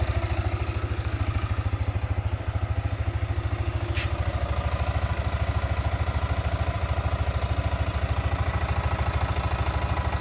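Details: Sniper 155 VVA single-cylinder motorcycle at 7 months old: even, steady putter at around two hundred beats a minute with no knocks or rattles; a healthy idle.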